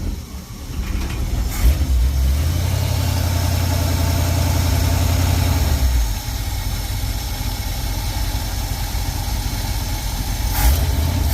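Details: 1952 truck, carbureted engine, after accelerator pump change: idles steadily with a deep low rumble and picks up cleanly on a brief rev, sounding healthy; normal idle and rev.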